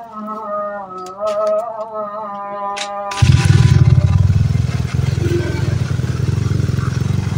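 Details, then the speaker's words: Honda Beat scooter with lost ignition, after wiring/CDI checks and ignition coil reinstalled: engine catches at once and settles to a steady, even idle with no misfire; normal idle. "Oke motor langsung hidup ya di sini."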